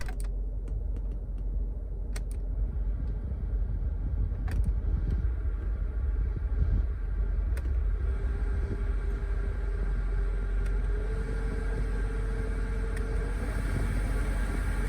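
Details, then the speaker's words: 2008 BMW X5 E70 4.8i after replacing the noisy blower motor with an aftermarket unit: soft, even rush of air, no whine, rattle or chirp at any fan setting; normal blower operation. "Before the replacement, there is a lot of noise especially on the lower setting but now there is no such thing thru-out any wind settings"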